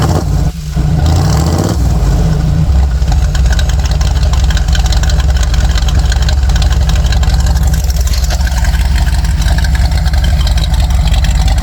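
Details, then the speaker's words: Jeep with Comp Cams cam and EFI setup: starts quickly and settles into a deep, choppy, uneven idle lope typical of a big cam; runs healthy, normal. "This cam is perfect for that, especially with the EFI setup. It's just you can daily drive this thing all day long. It sounds awesome."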